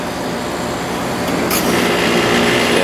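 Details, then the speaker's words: Sharp 8500 BTU air conditioner, compressor just started during a temperature-drop test at about 70°F ambient: steady compressor hum with a light, fast buzzing rattle from an object resting on top of the unit vibrating against the case. "just did and that's just this vibrating on top of it so we'll let that run for a while"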